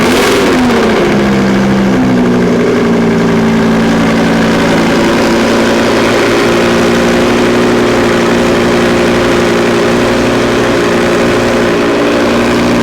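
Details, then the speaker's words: Wrecked Audi R8 on a temporary closed cooling system with a new radiator and a possibly weak battery: cold-start flare settling to idle with an uneven buzzy rattle; something rattles in the left-hand exhaust outlet, suppressed by a foot pressed on it, cause unknown. "so it sounds like that noise that we were about is actually something in this uh left-hand exhaust outlet i'm not sure what it is but something's rattling in there"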